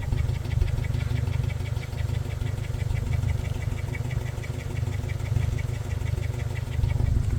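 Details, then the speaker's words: Toyota Fortuner petrol engine, likely a 2TR, on LPG or petrol, with no warning light: a lumpy, uneven idle over a light ticking. The misfire is on both fuels because cylinder 2 is dead from rodent-chewed wiring. "สะดุดทั้งแก๊สทั้งน้ำมันครับนี่เป็นแก๊สแล้วหัวฉีดแก๊สจะชัดหน่อยนะเสียงมันก็ไฟไม่โชว์ด้วยนะเดี๋ยวผมจะลองเช็คดูก่อนว่าสะดุดมาจากสูบไหนนะตอนนี้ผมก็เช็คเจอแล้วนะครับเกิดมาจากสูบ2ไม่ทำงานนะ"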